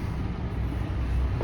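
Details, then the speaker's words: Yacht generator, running and supplying enough voltage for AC and electrical: steady low drone, even rumble, no knocks or surging. Normal running. "And same thing, I can come back here now, see that the generator's on, and it is providing enough voltage to run AC and electrical."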